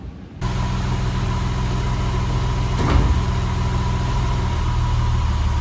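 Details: Porsche 996 Carrera after a major service with new oil, filter, gaskets and coil packs: steady, even petrol idle with a smooth low burble and no stumbles or misfires.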